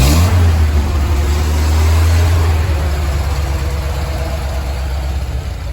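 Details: Willys CJ3B with replacement F-head engine and original air cleaner: deep heavy exhaust drone at high revs easing back slowly with coarse tractor-like throb; old worn muffler is loud, replacement planned.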